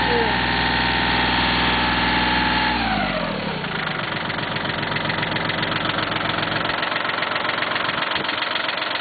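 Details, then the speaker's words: Cub Cadet diesel tractor at idle, smoking, around 48°F: steady diesel beat with a faint whine sliding down in pitch as revs settle; owner believes it comes from the hydraulic valve block, unsure. Whining while running. "The whining you're hearing is actually coming from that valve block. Best I can tell, that's where it's coming from."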